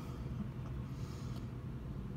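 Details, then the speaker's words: 2016 Kawasaki Vaquero/Voyager 1700 after refitting a loose clip under the radio inside the fairing (zip-tied via the hole): steady low engine rumble, no buzzing or rattle from fairing panels; now doesn't vibrate at all. "that whole thing is if I on and now it doesn't vibrate at all"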